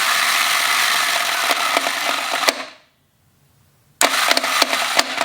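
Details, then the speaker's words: Honda GL1100 Goldwing engine: harsh metallic clanking and rattling while cranking, stopping when key released; worn starter clutch near alternator suspected, engine removed for starter clutch rebuild. "sounds absolutely wretched and that sound you can feel and hear that things are clanking around right here and this is the alternator and the starter clutch is also up in here and I believe that's what their sound is"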